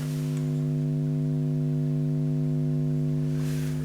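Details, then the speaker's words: Marshall JTM45 amplifier: deep, constant low hum regardless of standby switch or valves fitted, caused by the output transformer mounted too close to the mains transformer; a mild steel plate between them reduces it about 20%. "I've got the output transformer quite close to the mains transformer and you should be able to hear the [Music] hum."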